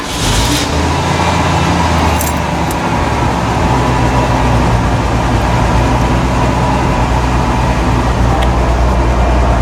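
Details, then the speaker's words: 1991 Ford F-150 XLT Lariat with a five-speed overdrive transmission, just started and warming up on an 85-degree day: even, steady low rumble with no misses, knocks or ticks. It is a normal, smooth, healthy idle. "maybe i'll try to fire it up and you guys can hear it run well it warms up for a little bit"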